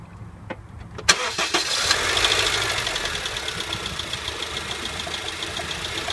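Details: 2008 Honda Civic starting and settling to idle, steady rapid ticking knock about three per second, louder with light revs and worst at idle; failing AC compressor bearing, later seized, compressor replaced.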